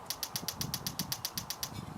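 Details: Weber grill battery electronic igniter, new unit installed with anti-corrosion coating on battery contacts: crisp, evenly spaced snapping clicks about seven a second, a dozen in a row, outdoors. Normal igniter spark clicking.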